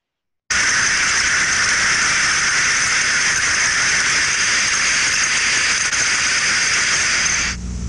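Steady, unbroken hiss with no open-close cycling: the steam trap is blowing through continuously. Cause suspected, not confirmed.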